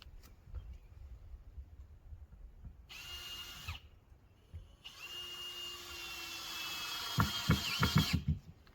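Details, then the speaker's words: Drill whirs in two bursts, then fast ragged clicking as the bit cams out of a Phillips screw head instead of driving it, while fastening framing braces with screws on a repurposed-deck firewood storage building. "yeah, I don't like Phillips. You hear it clicking?"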